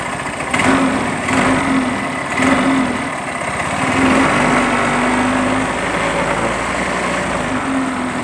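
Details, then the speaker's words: Yamaha Mio M3 125 scooter, blipped a few times: rough tek-tek ticking rattle from the CVT case and fan area as it revs; caused by running without CVT grease. "Di bagian bak CVT-nya di sini, ya, bunyi tek tek tek tek juga, ya."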